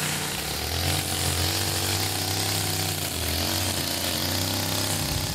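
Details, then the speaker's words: Older Stihl FS55RL two-stroke line trimmer after a tune-up and HIPA primer bulb replacement: a steady buzzing drone that dips slightly and recovers, with no surging or stalling. Normal running. "just you know over here running really good"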